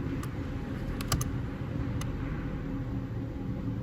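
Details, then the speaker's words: BMW F10 diesel with the ignition off: sharp, sporadic relay clicks, about five in four seconds, over a low hum. Caused by a shorting transistor inside the DDE engine ECU cycling the relay, stopping when the fuse is pulled or the ground is applied. "So bearing in mind the ignition's off, but it's clicking like Billio there, isn't it?"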